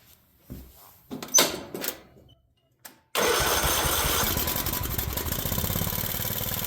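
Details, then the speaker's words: Craftsman riding mower engine of unknown history, idle screw backed out: catches after a few pulls but still runs at a fast idle with a light, quick tapping of unclear source; owner plans to check valve clearance, carburetor and governor. "So, still running pretty high. Sounds like there's some tapping or something in there."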